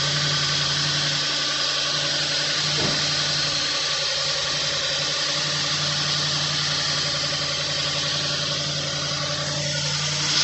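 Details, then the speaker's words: Audi B8 S5, first start after carbon cleaning: uneven, stumbling idle under a steady hum, misfiring because the fuel rails are empty; the misfires then clear. "Got a lot of misfires. That's normal. The fuel rails are empty."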